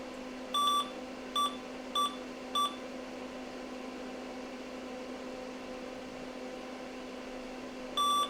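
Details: PCs Limited (Dell) 286 power-on with tantalum-cap cards removed after an overcurrent issue: steady low fan hum under a few short high beeps, no clicking or cutting out; powers up normally.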